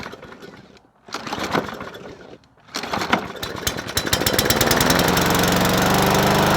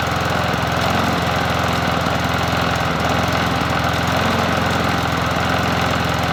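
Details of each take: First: Bolens 21-inch push mower 11A-B0BL765, primed, air filter off, owner smells bad gas: after a couple of pulls it catches and holds a steady high-pitched drone, running too fast. Overspeeding, cause unconfirmed. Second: Bolens 21-inch push mower 11A-B0BL765 on a cool 57°F day, after cleanup with the cover refitted and spark plug reconnected: steady drone with a firm, even chug and no misses or surging. Running smoothly.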